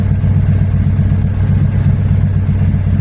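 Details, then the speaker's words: KRX with Honda K20Z3, naturally aspirated, no idle valve, preliminary tune after wiring fix: smooth settled low hum just after start, no hunting or stumble; air-fuel stayed stable through post-start enrichment, normal warm-up idle. "And it should be over by now. The air fuel stayed stable. That's a really good thing."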